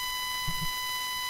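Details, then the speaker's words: New Blue Yeti microphone giving a constant thin, high-pitched buzz with steady stacked tones. The owner suspects interference from a magnetic field; the cause is not confirmed. "check check see that noise is apparently an interference with some magnetic field because this microphone is just that awesome"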